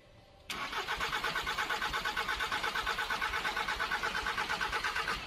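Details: Volkswagen Caddy 2K, 1.9 TDI (BJB/BLS) 8-valve turbo diesel, no engine light, fault appeared after driving in: the starter spins at a steady, even beat of about three compressions a second and it never fires; cause found as slipped camshaft timing.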